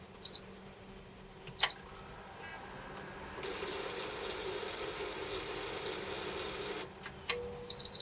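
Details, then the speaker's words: Sony PS3 fat Blu-ray drive, console also shutting down repeatedly: short beeps, then faint whirring and scraping as the drive labours and fails to push the disc out; disc eject struggle. "Struggling to eject the disc now, isn't it?"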